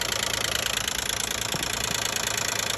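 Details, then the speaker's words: 2012 Nissan Maxima 3.5 L running: light rapid tick about four per second over smooth idle, located near the intake; owner suspects the intake bracket, unconfirmed. "that's what the noise came from and I take it off and yeah there noise come down right there and you know it's less than all noise"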